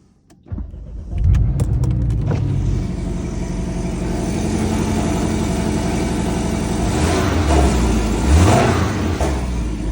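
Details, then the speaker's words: Porsche Cayman T cold start: engine catches, revs up, then settles into a steady, even throaty run; viewers claimed knocking, but the car passed a professional inspection, so this is normal. "The car is in excellent condition. It passed the inspection and they're coming to pick it up tomorrow."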